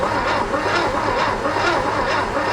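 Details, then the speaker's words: 1969 VW Fastback engine, sat 19 years (last inspected 1998), critters inside: starter cranks steadily, about two pulls a second, never catches; no spark at plug, points green and cruddy, cleaning planned. "no spark wasn't really expecting it"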